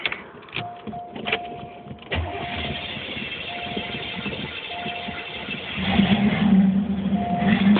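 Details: 1982 Cutlass 267 V8 two-barrel dual-jet carb, first start after carb rebuild, crank-and-pump with no priming, unadjusted: starter spins about two seconds, then catches cleanly and holds a steady idle with a light rev rise; healthy start.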